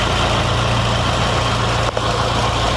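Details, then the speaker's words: Fiat Palio with GM engine (title says 1.8), idling; steady idle with a faint constant whir from the micro-V alternator belt, heard with screwdriver to ear, coming from the bearing or tensioner. "e aproveitar mostrar para vocês o barulhinho ele tá fazendo com a chave de fenda eu coloquei aqui no ouvido e ele tá vindo do rolamento ou do tensionador gente"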